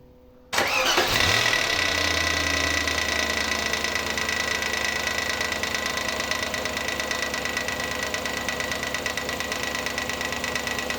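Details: Audi A8 D2 4.2 ABZ V8 starting and idling with drive belt removed: light steady tap about three a second from the front cover area, traced to a loose front timing cover missing a bolt, fixed with threadlocker.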